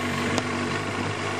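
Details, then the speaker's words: Cold carbureted engine on partial choke: steady, even idle held near 1500 rpm with no hunting or stumbling; moving choke back to normal drops it to about 1000 rpm or below; normal cold idle. "And if I move it back to normal, the engine RPM drops back again to 1,000 or or even below that because the engine is cold."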